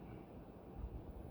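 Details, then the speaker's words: Envirofan Decorafan 48" ceiling fan model 448-N on a test rig with solid-state speed control; quiet steady low motor hum, faint, nothing rhythmic or rubbing, noise not from the solid-state control, normal. "There's a hum for sure. I can hear a hum. It's faint though."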